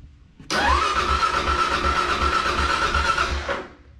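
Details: Kawasaki KLR 650 first start after a valve clearance check and shim service, with the tank and plastics refitted; fires on the first crank and thumps evenly for about three seconds with no clatter, top end healthy.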